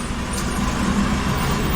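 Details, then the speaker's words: 2004 Lincoln Navigator idling after the leaking power steering pump and lines were replaced: an even low rumble with no knocks, whines or belt squeal, and the belt tracks properly; normal idle. "Okay, I don't hear anything crazy. No crazy sounds. That's good."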